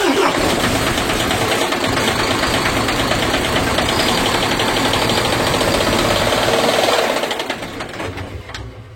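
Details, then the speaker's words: MAN TGA 18.430 diesel truck, revved then shut off at speed: loud run with a steady knock near three per second that continues until the last revolution, so the knock is in the engine, not an injector. "И слышно стук утихающий на момент, когда заглушили. То есть в итоге у нас стучит двигатель."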